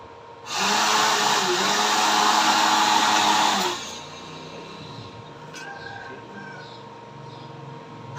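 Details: Homemade blower built from a used dynamo motor on a zinc-plate mount, powered by a 12 A transformer at maximum: spins up to a smooth, steady whoosh with an even hum, no rattle, then shuts off; formerly very noisy, now quiet with strong airflow.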